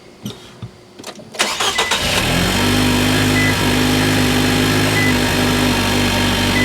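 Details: Nissan Juke after fixing a cylinder 2 misfire: a few cranking clicks, then the engine catches and settles into a steady, even idle with no knocks or stumbles; it sounds better.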